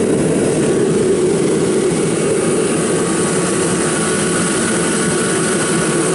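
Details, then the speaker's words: Kerosene torpedo heater, about seven years old, first service after hard starting last year (fuel left in over winter); pump quieter. Smooth constant fan and burner roar with soft even pump buzz, no rattles or surging: running properly. "let's see what we got going on will it be successful let's find out ok as you see it's buzzing"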